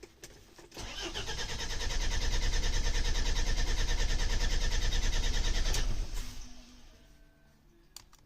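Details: Mercedes Sprinter diesel, towed in after a shop visit, worn injection pump and code 1350 for the timing-advance valve under the pump: steady, even cranking about three turns a second for five seconds, never catches; cranks but won't fire.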